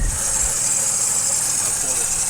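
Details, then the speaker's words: 2008 Chevy Trailblazer at idle, hood open, noise from front: steady shrill squeal over quiet idle; spraying the serpentine belt silences it, pointing to the belt (tensioner or pulley also considered); fixed by replacing drive belt. "But again, it's got this noise from the front. Now, we all know what that noise is. It could be either a belt tensioner, a pulley, or the actual belt."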